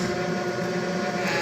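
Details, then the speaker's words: Viessmann Vitopend 100 A1JB boiler with its three-way diverter valve humming. Moving the valve changes the sound and pressing it stops the hum. Steady droning hum with a few fixed tones; the valve stem was later found coated in rust and scale. "В общем, гудит трехходовой клапан. Вот мы его шевелим. Он изменяет звуки. Если надавить, то гул этот пропадает."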